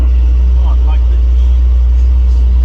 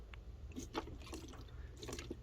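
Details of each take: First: 1988 Cadillac Brougham parked 16 years, day 3, thermostat being replaced to 180 after overheating: loud, deep steady V8 idle rumble, no misses, knocks or surges; running smoothly. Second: 1988 Cadillac Brougham parked 16 years, running after thermostat replacement, squeezed: soft gurgling and bubbling as coolant pushes out at the filler; radiator cap suspected not holding pressure.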